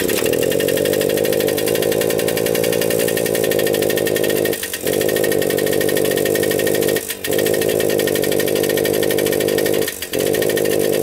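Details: Suzuki JR 50 two-stroke running on 42:1 premix with the tank bypassed (owner suspected water in the gas tank): a high even drone sags briefly three times; bogging.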